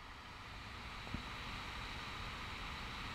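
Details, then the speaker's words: Good LM1875 amplifier IC on an 8-ohm load at low supply voltage, with no heatsink and no input signal: only a faint, even hiss at any supply voltage. No popping, unlike the defective ICs. "no problem at all all you just hear is noise the hiss"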